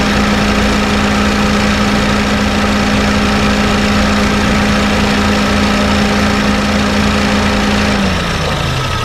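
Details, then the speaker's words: Honda Fit GD3 idling with the AC on: a steady rumble and low drone from the AC compressor that wasn't present earlier, fading near the end. The refrigerant isn't overcharged; a slightly worn compressor is suspected. "コンプレッサーね、ちょっとゴロゴロと音出てます。さっきは出てなかったんですね。"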